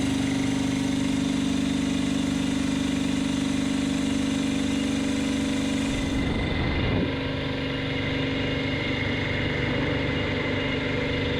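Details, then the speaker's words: Homemade 3 kW air compressor built from parts, first test: steady motor hum with even pumping pulse, shifting as pressure builds to almost five bar, no leak hiss; running normally. "it is rising! it works. there is almost five bars and no leaks of any kind can be heard"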